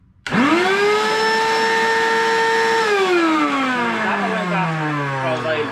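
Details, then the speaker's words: Vacuum cleaner: loud, steady high whine from start-up, then pitch sags and wavers, far noisier than normal; owner suspects a dirty turbine, unconfirmed. "Hoje eu quero trazer para vocês como eliminar o barulho do aspirador de pó quando ele tá muito zão. Quer ver? Olha o barulhão que tá."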